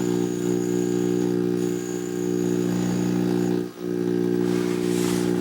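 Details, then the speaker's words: Panasonic PV-V45 VCR found at a roadside spring cleanup, after adhesive was cleared from the tape path: it plays a picture, but a constant low fixed-pitch buzz drones under the hi-fi audio, caused by misaligned tape guides and debris on the drum. "And well, it's trying to play. It's got lots of noise in the audio. I don't know if this is the heads are dirty or what."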